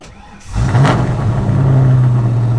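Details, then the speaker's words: Ford Foxbody Mustang after a new 255lph fuel pump, tank and -6AN line install, in neutral: brief crank, catches at once and settles into a steady, even idle; a check engine light came on. "Fires right up. Check engine. I think I had the throttle body turned up. She fired right up."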